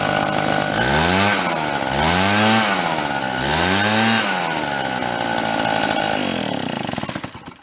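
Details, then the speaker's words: RedMax EBZ7500 backpack leaf blower two-stroke after teardown and repair with fiber washers, run 5 to 10 minutes: blipped from idle to high revs three times, clean pitch changes with no knock or rattle; normal running. "seems like it's functioning like it should I I ran it I don't know 5 or 10 minutes no great long period of time let it idle a little bit up off idle for five minutes and then gave her it's staying together it's not noisy"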